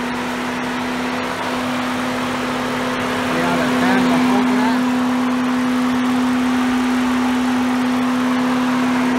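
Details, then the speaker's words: 2007 BMW X5 4.8 with code P0128 and a coolant leak at the thermostat, before thermostat replacement: loud steady whooshing roar with constant mid hum over idle; cooling fan kicking on high, thermostat suspected. "It's popping up a code of PO128, which usually means it's the thermostat. The fan's been kicking up on high, and we're going to take a look at it."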